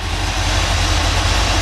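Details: 1981 Chevrolet K5 Blazer V8 at idle with slight throttle, new battery: a deep, steady, even rumble with no knocks. Occasional belt squeal comes from pulleys that were painted over. Runs healthy.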